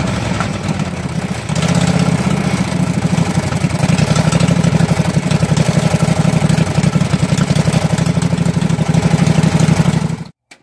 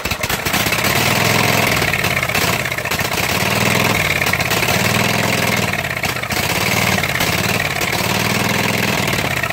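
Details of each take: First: Husqvarna mud mower's 18hp Kawasaki V-twin revived after pond submersion (water in gas and oil): float bowl drained, fresh gas with Sea Foam; steady even idle, about four beats a second, no misfire, until shut off. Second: Flooded Husqvarna mud mower, 18hp Kawasaki V-twin, after being submerged in a pond: runs rough and loud, speed surging and sagging, living on starting spray and starved of fuel; contaminated fuel supply with pond debris in the fuel filter.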